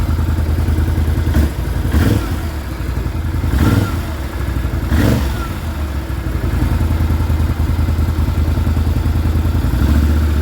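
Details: Can-Am Renegade 650 Rotax V-twin, cold engine: hollow clattering knock at idle with heavier thumps as revs rise; this is cold piston slap that stops as warming closes the piston-to-wall clearance.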